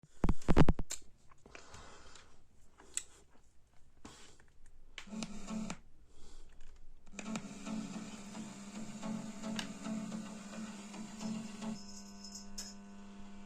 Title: What is the humming sound in the amplifier, BD424 Amplifier,👍🙏 Subscribe.